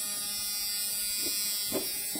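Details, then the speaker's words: Jeep Cherokee XJ after breakdown, new fuel pump just wired in, ignition on: steady high-pitched buzzing whine holding even; the fuel pump running normally. "Donc là normalement on doit entendre la pompe tourner."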